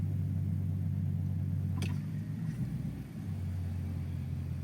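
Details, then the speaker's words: Infiniti Q45 reversing slowly after a fix for clunking axles, with one side greased: engine hum and soft rumble with no clunks or knocks from the drive axles, now silent. "no it's silent now I was going to do the other side but I said I'm not going to have mess with things if they're working fine"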